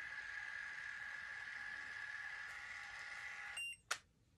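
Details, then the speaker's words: Wireless portable automatic curling iron, hair inserted and start pressed: thin steady high electronic tone for a few seconds, then a short chirp; normal beep signalling curling has started. "it actually beeps when they finish curling your hair so guys can you guys see it's already started curling my hair okay so it beeps when you start the curling"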